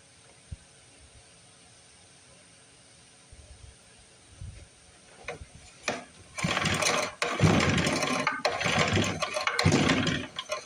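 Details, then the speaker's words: 1955 Briggs & Stratton model 6 (Sears), long stored, choked with carb cleaner: rough pulls spin engine with no catch or pop; weak spark, too little to fire; owner suspects bad condenser or insufficiently cleaned points. "Looks like we got a weak spark. You can see it lighten up just a little bit. Probably not enough to fire on."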